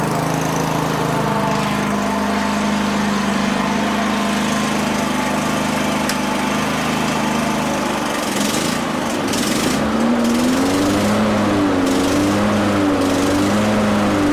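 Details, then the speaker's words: Older Toro 21-inch self-propelled mower that sat about 10 years, started cold on starting fluid at 3/4 throttle and on choke: runs steadily, then its speed surges and wavers; an unidentified rattling noise was also noted. "Interesting. Well, it runs. I'm gonna do a little bit more testing."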